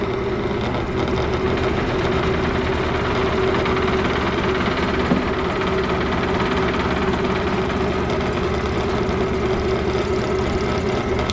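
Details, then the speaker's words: Lathe with an unbalanced workpiece, before adding weights (25 lb at motor end planned), speed varied: steady motor drone with constant low rumbling shake; lathe still moves around a lot. "all right it still moves around a lot"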